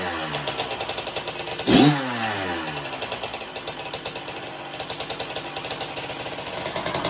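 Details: 1984 Honda CR125 two-stroke motocross bike with good compression: crisp one-kick start, then high ringing zingy two-stroke crackle with quick blips, firing cleanly and evenly; runs great.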